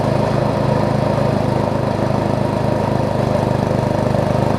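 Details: Murray rear-engine rider mower after a new blade, new drive belt, steering alignment and blade brake adjustment, expected to smoke on first start; even, steady fast-idle chug with no knocking or shaking: running smoothly.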